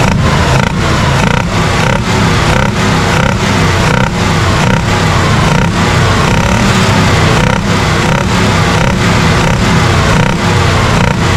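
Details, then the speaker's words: 1967 Chevrolet Impala 283 V8: loud lumpy idle, one cylinder missing about every two-thirds second, unchanged after about a quart of ATF down the carb over 10 minutes; ruled out gummed valve, mechanical problem suspected. "it's not making any difference the uh we don't have a we don't have a gummed valve we have a mechanical problem like I said"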